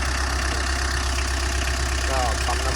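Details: Tata diesel after repair of knocking noise and front oil leak (crankshaft, oil pickup, oil pump, sump replaced): steady, even idle with smooth low rumble and no knocking or tapping; engine sounds healthy.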